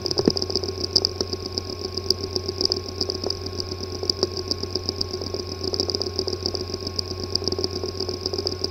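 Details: Western Digital Scorpio Blue WD5000BPVT 2.5-inch SATA hard drive (PCB 2060-771852-001), not accessible by any computer: steady high whine with irregular sharp ticks and buzzy rattle from physically damaged head/disk assembly.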